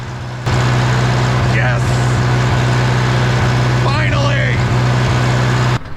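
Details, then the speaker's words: 1960 John Deere 1010 diesel after engine rebuild, just after rotating the injection pump to correct timing: steady even idle with firm low beat near 230 per minute, no misses or knock; runs great now. "wow that made a big difference look at that that is what I wanted to see that is running great"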